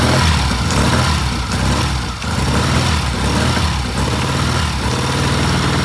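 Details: 1967 Triumph twin during timing work: stumbles and surges unevenly about once a second, worse than days before; rough running, cause not yet pinned down.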